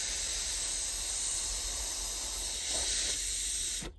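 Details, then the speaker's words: Whistle valve from a 5-inch gauge live steam locomotive, on the bench, with air blown by mouth through the boiler side: a steady toneless hiss of air escaping past a valve seat that isn't seating properly. "i'm going to blow through the boiler side and you should hear it escaping out there because it's not seen properly"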